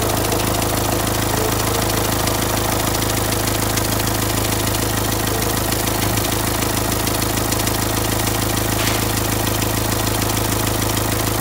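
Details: Renault Symbol after a complete engine rebuild, clatter at steady idle with a light regular ticking about three a second that began a month later; cause hard to find, finally at the spot first suspected.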